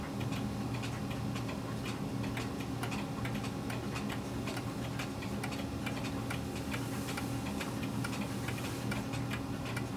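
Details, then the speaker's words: Pendulum clock after a slight bend to adjust beat: steady tick and tock with equal gaps, no limp; clock set in beat. "okay that sounds pretty even to me what do you all think all right so now we've got it set and beat"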